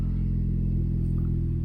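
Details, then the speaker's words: 2010 turbo Corolla idling while warming up, after swapping back to a piggyback harness with a different ECU. Previously ran super rich and misfired; now about 11.5–12 AFR, slightly rich. Deep steady rumble with an even pulse; normal idle. "All right, definitely running a lot better. Before it was running super rich, and you could just tell it was misfiring because of how much fuel was going in there. So car is idling, looking pretty good."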